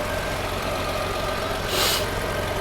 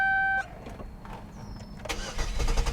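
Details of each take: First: Fire-damaged Chevrolet Equinox after fuse box rewiring and fixing a loose relay connection, on a jumper pack: steady, even idle with a low smooth hum, no misses or knocks; normal idle. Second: Fire-damaged Chevrolet Equinox after rewiring, suspected wrong relay box: short cranking bursts, engine briefly catches and runs rough, then dies again.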